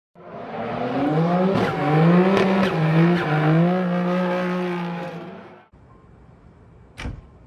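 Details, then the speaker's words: Nissan 300ZX Z32 running rough and smelling very rich: uneven, lumpy running with wavering tone and irregular stumbles before shutting off; engine misfire. "and as you guys could probably hear from the little clip before this that is running like dookie so we're gonna have to figure out what the heck is wrong why it's running the way it's running"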